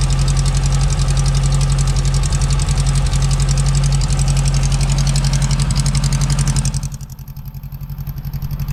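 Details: 1972 VW Beetle-based Domus pickup, air-cooled flat-four, off the road since 1989, idling steadily after an older blue Bosch coil with an added resistor was fitted; even low thrum around 220 beats per minute, firing cleanly and staying running.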